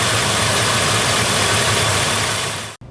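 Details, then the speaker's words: 99 GMC with 2013 Silverado 2500HD 6.0 V8 swap after new bank 2 injectors: not fully warmed up, idling fairly evenly with slight unsteadiness before shutoff, idle much improved over before; no misfire stumble. "okay so first impressions here just getting out of shop letting it warm up here idle has improved before the idle seems kind of a little shaky but idle seems a lot better"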